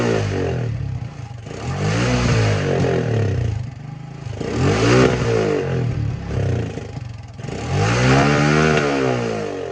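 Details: 1984 Honda ATC 200M three-wheeler barn find, revived after 30 years and parts replacement, needs fine tuning; single cylinder rises and falls cleanly through several revs, even beat, no knocks, runs healthy.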